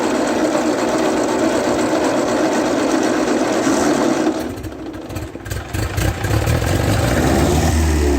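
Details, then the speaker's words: 1939 Ford 9N tractor first getting running; engine catches on more throttle, sags briefly, then settles into a steady rhythm with oil pressure showing. "Would you look at that? It's even got oil pressure. You can't keep an 9N down, I'll tell you that."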